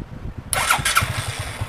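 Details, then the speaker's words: Kriss 110 motorcycle, weak starter, fitted with a larger YTZ6 battery: it catches on one short crank, then settles into a quick, even putter and idles steady; clean start. "Sekali start saja, motor dah hidup. Idle semua lekat cantik lah."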